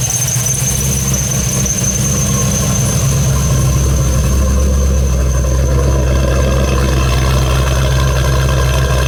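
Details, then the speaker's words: After new exhaust install, engine idles much quieter, revealing a thin steady belt squeal from an under-tensioned drive belt on a manual tensioner that needs tightening. "it is much much quieter I got a little bit of belt squeal manual tensioner I got to tighten it"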